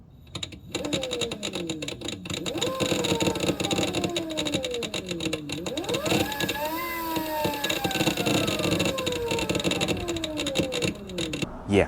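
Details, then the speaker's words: Electric motorcycle, Honda Shadow VT600 conversion, 96 V Fardriver controller, QS motor, with phase current overflow error, original 4/8/12 settings; motor whine sweeps with speed, with a loud harsh scrape at low RPM like a magnet rubbing; cause unconfirmed. "really loud nasty like a magnet rubbing on something I don't know something hard like a scraping but it only does it at low RPMs"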